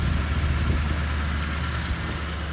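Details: 2019 Toyota Tundra with a newly installed Start-X remote starter, started by pressing the key fob three times: a low, steady engine idle at an even pace with no knocks or misses, a normal healthy idle.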